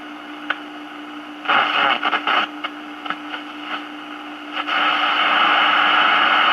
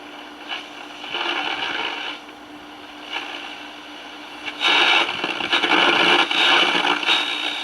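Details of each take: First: 1946 Val-Keen/Detrola 572 six-tube radio with tuned RF stage, chassis out, AM band. Tuning sweeps through hiss and short bursts, then settles on a loud steady station with no hum. Normal reception. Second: 1946 Val-Keen/Detrola 572 six-tube radio, chassis out, first signs of life on AM at 970, filter cap not hot, no hum. Station comes through harsh, fuzzy and overdriven in bursts. Distorted audio.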